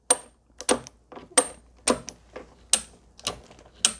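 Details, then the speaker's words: Stringing machine clamp after repair with replaced parts (it previously failed to lock cleanly): crisp, sharp clicks about every half second as the clamp engages and locks firmly; normal. "확실하게 탁탁 물리도록 그렇게 됐고, 이제 클램프도 그냥 이거에 대해서 불만이 없으셨어요."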